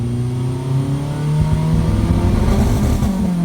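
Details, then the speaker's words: Modified Maruti Zen Carbon: hard revs with sharp pops and crackles through the exhaust, backfiring. The owner feels performance has dropped and suspects a low-quality wire that was fitted; an earlier misfire is now gone. "ഇപ്പം നിങ്ങൾ അതിന് തൊട്ട് മുമ്പ് കേട്ടില്ലേ, ഒരു ഭയങ്കര ഒരു back fire ചെയ്യുന്നൊരു സാധനം."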